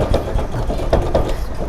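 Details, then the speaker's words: Electric bike being shaken after the gaps around its battery were packed with filler material. Only dull, soft thumps remain, with no loose clatter from the battery. Before the fix, the loose battery knocked over bumps and potholes. "แค่นี้อยู่นะครับเสียงหายนะครับโอเคเงียบเลยครับนี่สนิทแล้วเหมือนรถกำแพงเลยครับ"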